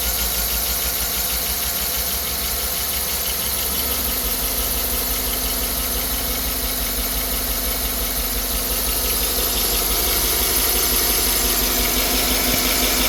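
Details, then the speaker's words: 2009 Chevrolet Tahoe V8, about 250,000 miles, P0300 misfire, low compression but passing leakdown, customer-installed spark plugs: uneven idle with regular stumble and an intermittent metallic scraping tick; lifter suspected of scraping the cam, unconfirmed. "I mean, you obviously hear the misfire. The noise kind of comes and goes. It sounds like a lifter is uh a lifter's sideways scraping the cam up."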